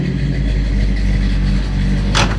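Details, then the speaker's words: Big Block 454 V8 revving: deep even rumble with steady low firing pulses and a clean rev, no knocks or rattles; healthy. "The Big Block 454. I like those. Hell yeah. Sounds good."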